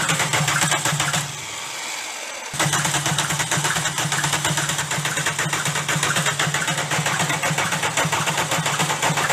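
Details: VW Golf diesel at rough idle with a steady sharp knock over the clatter; damaged connecting rod bearing shells cause the rod knock.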